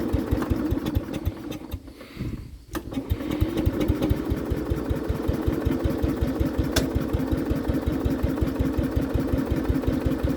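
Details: Case 220 hydraulic-drive machine, hard to start: the engine chugs at a steady beat, cuts out briefly, then catches and settles into an even run before driving forward and back.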